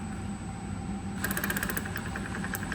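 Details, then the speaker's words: Centurion ARV magneto: sparks well at higher rpm, but at low rpm the snaps are weak, patchy and skip, which explains the hard starting. Being run at higher rpm to improve it. Weak spark at low rpm. "but then as you back down to a low RPM this is why you have trouble on Startup really it wants to be snapping like"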